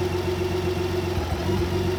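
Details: BMW K1600B six-cylinder with no diagnostic codes, dealer serviced, TPS reset, air filter checked and fuel treatment added: idle wavers and stumbles with a steady drone, also at first-gear clutch engagement; rough idle, owner wonders about bad fuel, exhaust or plugs.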